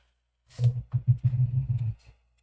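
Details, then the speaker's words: Macintosh IIvx 1.4 MB floppy drive after cleaning, service and silicone spray, formatting a disk: short burst of quick buzzy steps and clicks for about 1.5 seconds as the head seeks; normal head stepping. "Let's see if we can do a format. Special Erase. Yeah, it sees it. Erase. There, it's moving."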